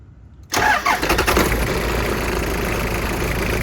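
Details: 1996 Toyota Hiace with 1KZ-TE diesel, just after fitting an upgraded 10-blade fan and new belts. It cranks briefly, catches at once and settles into a smooth, even idle with no squeal or knock. Normal idle.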